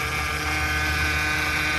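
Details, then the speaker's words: 2008 Mercedes C300 at idle after a power steering fluid top-up: steady high-pitched whine over a smooth engine; fault in the power steering system, rack or pump, owner suspects the pump. "that means that one of the part with the powering steering system is no good. Yeah, it could be power steering rack or power steering pump."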